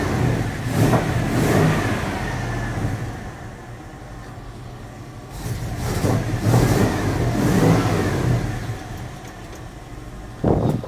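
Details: 1980 Dodge W200, Magnum 5.9L V8 with Holley 600 cfm four-barrel, after fitting 65 jets and swapped power valve to fix a super rich mixture; engine cold: catches, revs up in a couple of blips, settles to a fairly even idle. Normal running.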